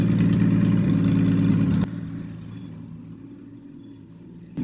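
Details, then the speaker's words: Triumph TR6 freshly rebuilt engine, warmed up with chokes off after distributor adjustment: even, steady firing at fast idle, then easing down smoothly with no knocks or misses. It runs well. "So she runs well. It was tricky in the beginning when there was no when it was cold, but now it is but once it warmed up and I turned the chokes off, it's running pretty well."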